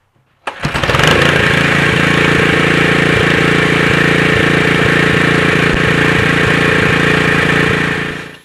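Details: Honda GX120 4 hp single with a new replacement carburetor and the Excel spark plug refitted after the other plug seemed to misfire: it catches quickly and settles into a steady, even beat with no hunting or surging. It sounds healthy.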